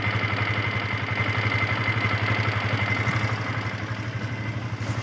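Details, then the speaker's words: Yamaha FZS V2 motorcycle at 437 km, idling: fast metallic ticking with a thin ringing rattle from loose tappets and a slack timing chain, blamed on rough riding during break-in. The fix is tappet and timing chain adjustment. "Sound টেপিড, timing chain loose হয়ে গেছে। গাড়িটা রাফ চালার কারণে লুজ হয়ে গেছে।"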